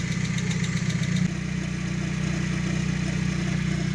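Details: VW Gol engine at idle: light, quick tapping, roughly four per second and strongest at first, from a noisy hydraulic lifter whose oil-pressure capsule is not taking up valve lash.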